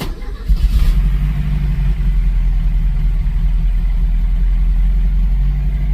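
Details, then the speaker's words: 1982 Porsche 924 Turbo, first start after rebuild and CIS/timing adjustment, air filter fitted: catches quickly, settles into a smooth steady idle, slightly high but even, no misses or tapping; healthy. "Seems like it's idling a little bit higher after putting the air filter and everything on it."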